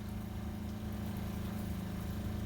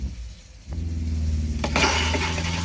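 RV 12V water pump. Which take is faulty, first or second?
second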